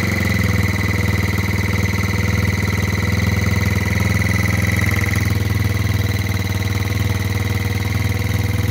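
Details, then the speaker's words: Rebuilt GY6 50cc 4-stroke Sprint Max scooter, first run after rebuild, restarted on the electric starter: steady, even low idle with a soft regular pulse about four times a second, no knocks or rattles; healthy. "ljudi, mašina upalila, rešili smo situaciju, znači upalili smo na kiks i evo sada pali i na na Al-Laser."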